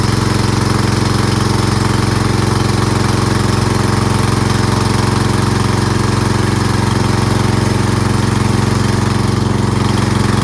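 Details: Lawn tractor riding mower single-cylinder with new fuel shutoff valve closed: steady, even chug at constant speed with no surging or sputter yet, run until it stalls to empty the carburetor bowl for winterizing; normal running.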